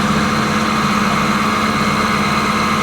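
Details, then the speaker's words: Wood thicknesser fired up after maintenance: steady motor hum with an uneven light rattle about once or twice a second that was never there before. Owner worries the belts may be too tight; cause unclear. "It's like a rattling in it that is not right. Well, at least it was never there before. I'm worried it might be the belts."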